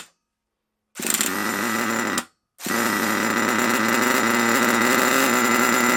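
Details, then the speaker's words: HotBodies 3.5 nitro engine in HPI Savage 21, freshly started: fast steady buzz at raised idle after cutting out once; idle too high and noisy, idle screw backed out to lower it. "I want to try and lower that down a bit cuz it's a bit noisy otherwise"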